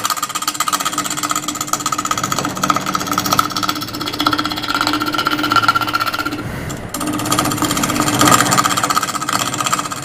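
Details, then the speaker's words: Lathe turning a lopsided multi-part resin casting (around 1000 rpm mentioned): steady hum with rough rhythmic chatter, about four per second, as the tool hits the casting. Being out of round causes extra vibration and imbalance. "i just want to get this piece round because you can see how out of round it is and so that makes uh for more vibration more out of balance issues"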